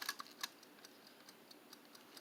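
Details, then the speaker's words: Tork RFF60M timer switch that passed its continuity test (meter reading 2.3). Faint, light mechanical ticks continue in a quiet room; the timer keeps finishing its cycle even when switched off. Working timer, normal ticking. "If you can pick up that tick, this one's timer is working. Even when I switch it to the off position, which is off, it still finishes up its little timer."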